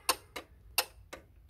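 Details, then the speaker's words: Renault Clio II AC compressor clutch powered by jumping the AC relay socket with a wire: sharp dry clicks as it pulls in. Compressor and its circuit are good, so the fault lies in control or supply. "si on essaie comme ça il comprit se répand c'est à dire que notre compresseur il est en bon état son circuit électrique il est bon il marche bien"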